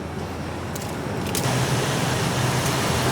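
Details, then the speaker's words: Mazda found running with almost no oil, roughly 250–300 ml in it: smooth, even idle with no knocking or ticking despite the near-dry engine; idling with very low oil, no knock. "it sounds good now I told I told you these are tough"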